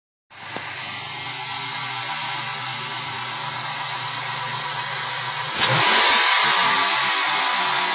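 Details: 2002 Ford Mustang V6 with Windstar intake installed: loud steady hiss over the running engine, constant at idle; intake vacuum leak, later found and resolved.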